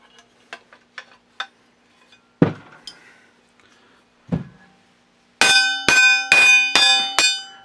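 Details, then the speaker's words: Double-barrel break-action shotgun barrels tapped to check the rib solder: strikes ring but buzz slightly instead of a clear bell tone, meaning the rib solder is letting go, worsened by rust. "what that means is the soldering because it's dull the solder's let go we hear it buzzing it means there's no soldering the ribbing's just doing that that's why it's buzzing"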